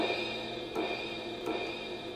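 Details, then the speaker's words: LinnDrum drum machine with a heat-blackened, hacked circuit board: pattern plays with the crash cymbal audibly present but much softer, thin and quiet; hi-hat and ride were similarly soft. "you can hear the crash it's just much softer"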